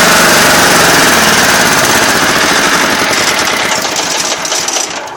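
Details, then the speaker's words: Craftsman GT6000 diesel garden tractor, warm weather, after fixing a slow-idle problem that turned out not to be the throttle cable; sharp, fast, even diesel rattle at a high steady idle, much more idle than before. Normal diesel idle. "you could hear their I got a heck of a lot more idle and a lot of nice diesel smoke"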